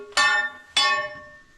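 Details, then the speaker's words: Metal bar tapping the tunnel ceiling ("sounding the backs") in the Central Deborah gold mine, Bendigo: two sharp bright rings fading over a second with no hollow note, meaning solid rock that will not fall. "they were listening for the noise that it made. That noise, that's a good noise. It's nice and solid. So that means that rock is not going to fall down anytime soon."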